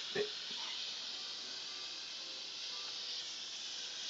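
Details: Hot-water pipe in bedroom wall corner with about six pinhole leaks, before plumbers clamped them: constant sharp high hiss of water escaping under pressure, dripping down.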